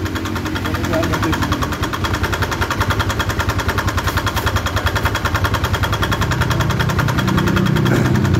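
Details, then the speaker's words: Motorcycle engine at idle with a rough, hard, even ticking knock from the cylinder head, about three or four a second; oil spurts at the cam chain tensioner area when revved. "sekarang kita mendengarkan dari suara kasar ini berada pada kop"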